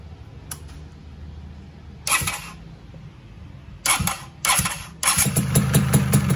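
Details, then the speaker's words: Rebuilt two-stroke engine started after fitting a 200 g balancer, before the clutch block was installed: sharp blips at start-up, then a steady crisp idle with no knocks, rattles or strange noises. "Oke, aman aja kan, nggak ada suara-suara aneh."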